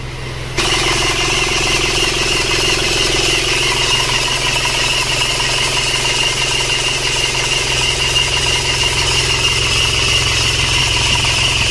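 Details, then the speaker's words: 1997 Panther diesel brought in for heavy oil consumption, idling cold just after starting; steady, even clatter with a strong high hiss, no misfire or hunting, not rough; body vibration possibly from the engine mounts. "gimana sebenarnya hidupnya enak juga ya [Musik] getarannya sampai body mungkin hanyalah pangkon mesinnya ini lihat tidak begitu ngasar Sebenarnya ya Jadi tidak begitu kasar sebenarnya"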